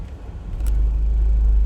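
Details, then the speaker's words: Car idling in park after a coil pack and one spark plug were replaced; it had been running on about three cylinders. A deep idle rumble swells, then holds fairly steady. The surge is much calmer but persists in drive, cause unconfirmed. "And you know, usually when I'm sitting in here, you can hear the motor uh surging"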